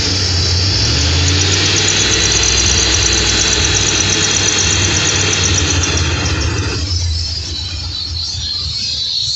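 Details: 2002 Ford Expedition V8 revving after a hose was removed and brake cleaner sprayed into it. A high, thin squeal rides over the revs and drops away as they fall; cause not pinned down.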